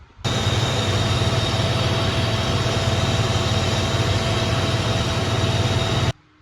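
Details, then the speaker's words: 3.7 engine after replacing all six ignition coils, breather off: steady, even idle with smooth low rumble and intake hiss, no miss, stumble or tick; no check engine light, normal idle. "All right, so no issues, no check engine light. Seems to be doing pretty good."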